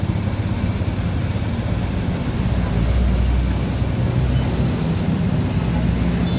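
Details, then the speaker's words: Honda Vario 125 with dead dashboard and starter, after the dirty connection fault was fixed: starts again and idles with a steady low, even hum, no knocks or misses; normal. "And now it's working fine and can start again."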